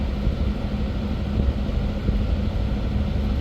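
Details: Candy condensation tumble dryer on cotton test run, heater getting 230 V and heating after a defective thermostat was replaced: even low drum rumble with steady motor hum, no scraping, squeal or knocking; normal operation.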